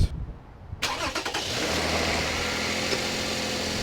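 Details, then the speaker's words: 2008 Toyota RAV4 V6 (2GR-FE), left to cool all day, on a very windy day, with a customer's cold start rattle complaint: catches quickly and settles into a smooth, even idle; rattle did not occur this time. "it didn't do the rattles yeah this is this is where we got into these situations where can I duplicate concerns"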